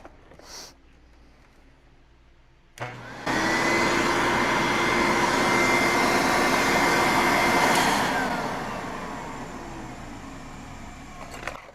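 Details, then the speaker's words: 1970s Brother XL-444 canister vacuum, motor switched on and off at the hose power button: spins up to a steady roar with a thin high whine on top, then winds down. Owner says the motor bearings are a little dry. "are a little dry. I'll turn it on and off again one more time. I don't know if you guys can hear that whine at all."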